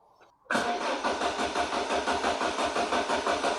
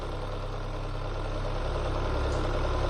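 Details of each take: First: Citroen BX 16-valve, stone cold, wide open throttle while cranking: steady starter churn about three beats a second with no catch, massively flooded by a leaking fuel pressure regulator diaphragm; flooded engine cranking, no start. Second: Citroen BX 16-valve after fixing a leaking fuel pressure regulator that over-fueled: smooth, even low idle with a steady beat and no stumble, knock or misfire; normal idle.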